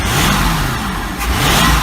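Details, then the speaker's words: 1986 Century 5000 cuddy cabin boat's Mercury Marine 5.7 L V8, revived after sitting, carburetor rebuild kit fitted, jets possibly not set right, oil pressure showing; deep even burble rising and falling smoothly with throttle, no misses or knocks, sounds good. "did i did a carburetor rebuild kit on this thing so it's not a new accelerator pump it just sounds good"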